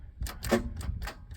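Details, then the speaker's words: 1997 Dodge Grand Caravan SE, abandoned on a farm 4+ years, 167,821 on odometer: quick dry clicks about three a second with no cranking; starter engaging but engine sounds seized, low battery power not ruled out. "and the motor sounds stuck because the starter is engaging it"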